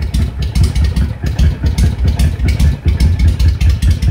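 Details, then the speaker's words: Honda VTX 1300 V-twin idling with the air/fuel mixture screw at two and a half turns: uneven, loping idle stumbling irregularly; mixture too rich, idling rough. "let's go on go on out to the quarter two and a half it's not sounding real good now you'll notice"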